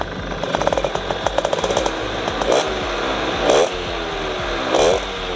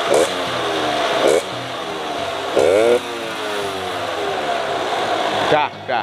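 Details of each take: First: Cold Suzuki RC100 two-stroke, set for economical daily use: crackly blips in short bursts, revs hang and fall back sluggishly; still cold, so it won't rev out freely. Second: RC100 two-stroke, set for economical daily use: short throttle blips rise and fall back cleanly, crisp and even with no knock or stumble; engine fairly smooth, healthy.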